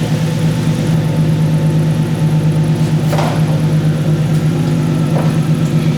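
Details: Budget turbo Lexus, freshly finished build on 0.5 bar boost, no air filter yet, before test drive: steady low hum with even pulse at idle, no knocks or whine; idles cleanly.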